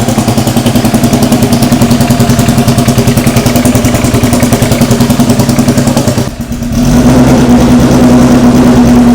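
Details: AWD Honda Civic Si (EM1) race build aiming for 1000 hp, JBR-built short block with head fitted, first start of the freshly assembled engine: a loud idle with a brief stumble and dip that settles into a smooth, steady low pulse; normal idle.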